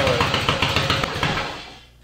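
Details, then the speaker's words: Yamaha XS650 dual sport build, running after two months of work, before its test ride: the twin fires with a quick, even beat and no misses, then eases as revs drop; normal running. "you see that she's running fine now we got her going everything to do it now she just needs to be test rode out there"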